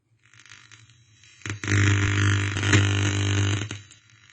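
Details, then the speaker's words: Death By Audio Soundwave Breakdown fuzz pedal, ungated: harsh buzzing hiss with strong low hum swelling for about two seconds, electronic noise from excessive supply voltage; fixed by building a voltage regulator set to a very specific voltage. "Because of the noise, I had to create a voltage regulator to a very specific voltage to get rid of the noise."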